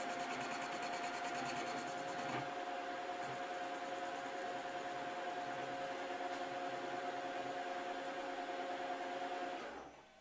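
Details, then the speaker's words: Lathe turning a rusty bar to 25 mm for a Schaublin variator shaft, supported by a loose steady rest: steady high ringing squeal with gritty rattling, ending abruptly; workpiece chatter from the loose steady rest, later tightened. "I have a steady rest. It's a little bit unsteady rest. Soon you will hear how it rattles."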